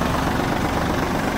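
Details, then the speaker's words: Kubota L1-185 rear-drive mini tractor with snow grader blade, 311 engine hours, in cold weather: low, even diesel patter at idle with no ticking, knocking or grinding; normal idle. "а 311 moto часов на работу данного трактора двигатель работает ровно"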